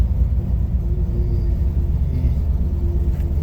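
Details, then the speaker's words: 1965 Corvair Monza flat-six project car, sat about two months, at about -6 to -8°C, just cold-started with throttle held; deep uneven low rumble, idle not settled; rough cold idle, not fully happy. "there we go it's not tially happy but see what"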